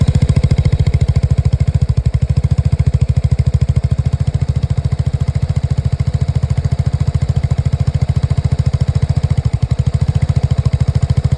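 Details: Lexmoto Nexus 125cc single-cylinder motorcycle running with fast chuffing and occasional uneven beats and dropouts; misfiring, diagnostics show fuel-air mixture readings dropping below 0 and a misfire count.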